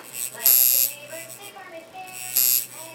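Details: Cheap Chinese coil tattoo machine at about 5.2 volts buzzes in short uneven bursts with stops between, not holding a steady run; inconsistent running.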